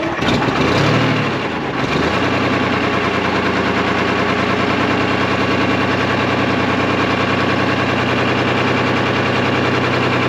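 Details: 1975 International Loadstar 1850, Detroit 6V53 two-stroke diesel, just started; rough ragged idle with dropped pulses, missing badly. Owner unsure if air in fuel or real issue, plans to check return line for air; oil pressure about 65 psi, no coolant.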